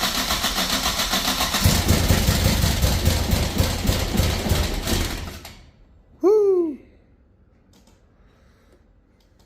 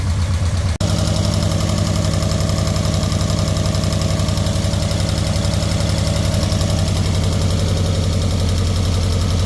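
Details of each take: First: Nissan 240SX after fuel system overhaul (new pump, cleaned tank, new fuel lines, distributor cap, plugs): engine chugs unevenly about four lumpy pulses a second, sounding like it's on two cylinders; badly misfiring, bad injectors suspected. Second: Nissan 240SX four-cylinder after refurbishing injectors, new fuel pump, cleaned tank, new fuel lines and filter, idling evenly with regular exhaust pulse and no misfire, timing still to set; normal idle on all four cylinders.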